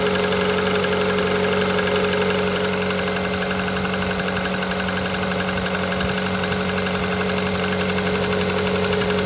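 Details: Engine at 160,000 km, knock audible even in the cabin at high revs: steady idle with regular light tapping about twice a second over the engine hum; internal engine knock, origin unknown.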